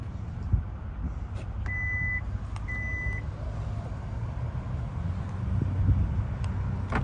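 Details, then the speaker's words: 2022 Hyundai Palisade Calligraphy, 27k miles, engine running: two clear mid-pitched beeps over low idle, warning because the smart key is in a pocket outside the vehicle. "close that up real quick so you can hear it beeping it's beeping because the key is actually in my pocket and I have the vehicle running still"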